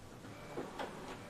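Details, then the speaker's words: Epson L11050/L18050 inkjet printer printing with quiet mode on (slower): soft, smooth carriage whirr with gentle shuffles and no harsh rasp; normal quiet-mode printing, smoother than quiet mode off. "Tuh, suaranya lebih halus dia, nggak kasar."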